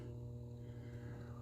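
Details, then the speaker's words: Inverter in a 45-year-old trailer, running after the breakers were switched on: steady low hum, no wavering or buzz; normal inverter hum. "Okay. I don't know if you guys can hear that, but some things are humming. We have this inverter."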